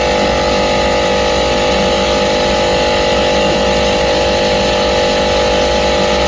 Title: Compresser foulty abnormal sound #hvac #youtubeshorts #hardwork #actechnician #acrepair